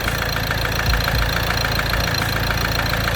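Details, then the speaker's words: Ford Transit Connect diesel after oil sump replacement, harmonic balancer rubber failing and shaking: idle with a steady knock about twice a second over the clatter; mechanic suspects the timing chain and advises changing it with the pulley, not confirmed. "But that noise can be timing. Little bit twist in the timing. I'm not happy with the sound."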